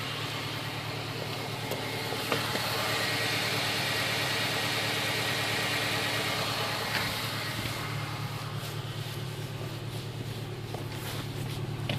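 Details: 2008 Honda Civic Si at cold idle: sharp little pops, fairly regular at about three a second, through the idle; cause unknown.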